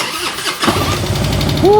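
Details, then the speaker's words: Original-owner 1999 Harley-Davidson Road King, carbureted, that arrived not running, cold start with choke after a new carburetor: catches on the first try and settles into a loud, steady, throbbing idle with some tapping; sounds like a brand-new bike. "Sounds like a brand new bike. Wow. Warm it up with no chokes."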